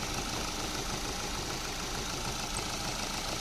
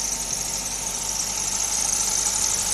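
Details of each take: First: Car engine at steady, even idle with no squeal or chirp after WD-40 was sprayed on the drive belt, which squeaked at startup on rainy or cold mornings from moisture. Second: Maruti Suzuki idling after a morning start on a rainy day: steady piercing high-pitched squeal from a damp drive belt slipping on pulleys; spraying WD-40 on the belt silenced it.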